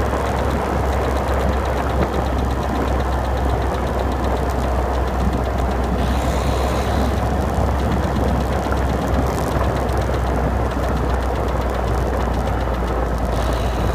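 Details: 2011 Citroen DS3 110 HDi diesel at idle: loud steady idle with a faint, fast, light clicking on top; cause of the tick unknown.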